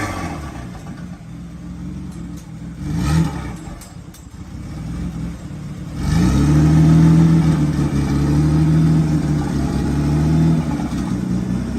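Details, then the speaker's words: 1995 Ford Taurus 3.8L V6 turbo: blipped and revved, hanging unevenly with a lumpy note and not settling to a steady idle; owner suspects low fuel is the cause. "uh but we got to throw some gas in this over girl I think that's why it's having some problems"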